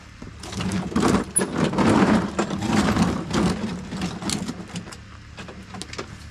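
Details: Briggs & Stratton push mower single-cylinder engine, after valve adjustment fixing hard-pull kickback, starts and runs with steady chatter, no labouring or misfire; normal running.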